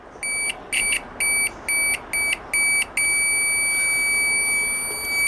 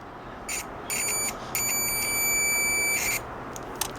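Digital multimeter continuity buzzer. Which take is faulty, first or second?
second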